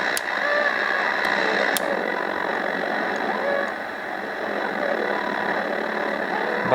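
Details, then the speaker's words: Yaesu FRG-7 communications receiver before restoration, on a first tuning attempt with the narrow filter changing the tone: harsh, gritty, fuzzy audio over the signal; the sound quality is bad and the cause is not yet found. "the sound quality is pretty bad"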